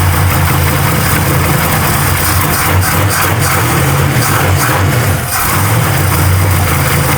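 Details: Truck V8 on a newly fitted old Edelbrock carburettor, idle mixture a turn and a half out, no choke connected: loud lumpy running with a sag near five seconds as if about to die; keeps running but won't hold idle.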